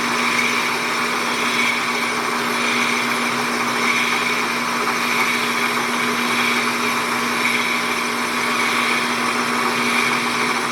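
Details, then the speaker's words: Hobby belt-driven lathe boring a blind hole in a model Stirling engine part, at .430 taking a 20 thou cut: steady high squeal over spindle hum, boring bar chattering; chips packed in hole, may need lapping. "Oh, start squealing. I was hoping to get by without having to lap that hole. Come on, quit it."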